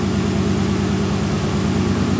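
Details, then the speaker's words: 30-year-old Nissan 240SX idling: loud, rough idle with a throbbing low rumble and heavy shaking; still misfiring, later narrowed to cylinder four not firing; fuel or spark issue suspected; timing unchecked. "So it's it's still misfiring, but there's definitely either a fuel issue, spark issue. She's not happy."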